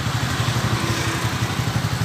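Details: Idle of a TVS Ntorq scooter engine after the magnet (flywheel) was removed and refitted tight to cure an engine noise: steady, even low putter with no ticks, knocks or rattles, now running normally.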